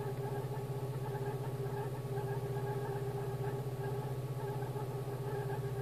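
Smooth, even idle with a steady low pulse of about four beats per second and no misses or knocks; engine runs healthy.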